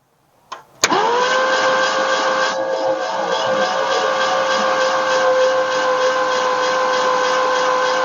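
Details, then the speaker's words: 1967 Ford F100 after sitting 29 years, cranked by jumping the starter solenoid: steady, even starter whirr spins the engine over smoothly without binding; engine turns freely and isn't seized, though the battery cables heat up and need replacing. "well she spins over freely um but I can already tell I'm gonna need to replace these cables"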